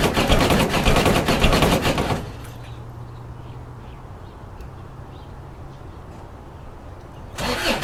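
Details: Diesel ute on a cold start: about two seconds of harsh rattling crank before it catches into a low, even idle. The hard cold start is blamed on worn glow plugs, which are due for replacement.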